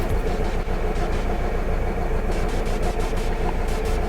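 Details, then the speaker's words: Alfa Romeo GT idling roughly with the engine light on. It gives an uneven stumble about every half second from one misfiring cylinder. After the coils were swapped, the misfire moved from cylinder 4 to cylinder 3, confirming a failed ignition coil. "so let's fire up the car all the issues have been cleared yep there's our engine light so now we're going to check for issues"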